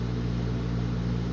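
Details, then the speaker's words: ILG Industries panel mount 163 fan, 2-speed GE split phase sleeve bearing motor, running on low (1140 rpm, 6-pole winding): steady low hum with even tones and no rubbing or bearing rattle; a normal Model 163 sound. "This one also is a sleeve bearing motor, so you don't really hear any kind of ball bearing noise or anything, because it doesn't have them. This is about what a normal Model 163 sounds like."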